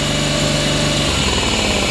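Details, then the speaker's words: Honda 40 hp outboard running rough and chugging: it picks up and runs faster when carb cleaner is sprayed into the intake, showing a carburetor fault rather than an ignition fault; the carbs are to be pulled and cleaned. "I definitely have a carburetor problem so there you go that's an easy way to tell if you got a carburetor problem or if you have a problem with your spark"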